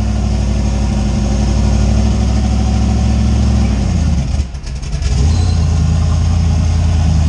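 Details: Steady, even low rumble on a 358W 80mm-turbo Fox Body V8 just started after the injector ground was connected, with a brief dip and recovery midway; it settles back to an even, normal idle.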